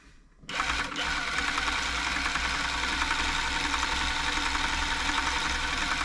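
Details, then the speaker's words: Elna Club Computer 500, Swiss-made electronic sewing machine, probably 1980s, in for service (bobbin tension, top thread looping); running up with the stretch switch off, so no double tapping, quick steady whir with light even ticking, runs free. "wisdom I turned off the stretch switch now which is why it isn't making that double tapping noise running it all up make sure it's free it's working"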